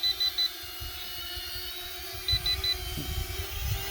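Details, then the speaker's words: Holy Stone HS430 FPV mini drone in flight: short groups of about three high-pitched beeps over the quiet motor hum, its low-battery warning before it auto-lands. "when we have a low battery it will start to dim down and you can hear that it's beeping because we've got low battery and then it just lands"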